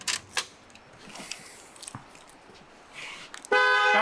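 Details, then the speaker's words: Ford F350 with swapped CAT engine and Allison transmission, newly rewired: quiet shop sounds, then a firm, clear horn chirp as the truck locks by keyless entry; keyless lock signal working. "See if we got locks. Where's my lock? Keyless lock. Oh yeah. We got keyless entry."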